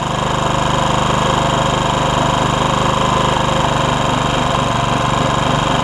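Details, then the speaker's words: Honda HR194 commercial-grade push mower, single-cylinder, after an ignition coil swap fixed its no-spark. Steady, even chug at constant speed with no misses or knocks. The throttle is a little lazy, traced to a stretched governor spring. "you hear how good it was the throttle's a little lazy but I'll show you why"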